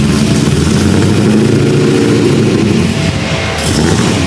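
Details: LSX-swapped 450 hp Datsun 280Z, finished custom exhaust: a deep, loud, even V8 rumble with a steady burble and no rattles or leaks; the exhaust sounds healthy.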